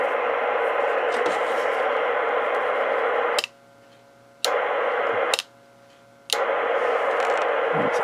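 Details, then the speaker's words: Icom IC25A 2 m VHF FM transceiver bought at a hamfest, first power-up: loud steady receiver hiss that never mutes, dropping out only twice when switched; squelch inoperative, later traced to leaky capacitors in the squelch section. "Oh, didn't like that. See, the squelch doesn't seem to be working."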